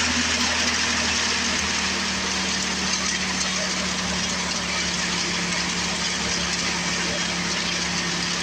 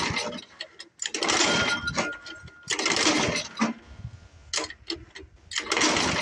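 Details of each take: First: Old Craftsman 24 snowblower with Tecumseh engine, revived after sitting for years, started with primer and choke then choke off: small single settles into a steady, even drone with low hum, no misses or surging; running normally. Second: Old Craftsman 24 snowblower with Tecumseh engine, sat for years, cylinder lubed, plug boot has a hole, about 28°F; repeated pull-cord bursts with brief coughs dying away; owner suspects carburetor; cranks but will not start.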